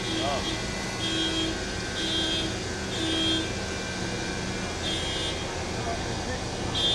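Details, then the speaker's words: Kobelco CKE2500G crawler crane during build, lifting a 24-ton track: short steady horn tones repeat about once a second over engine drone and site noise; the radius alarm sounds when the lift is slightly overstretched for its distance from the crane. "The horn you can hear going off is the radius alarm. If you get slightly overstretched with what you can lift at a certain distance from the crane itself, you'll get a little horn go off."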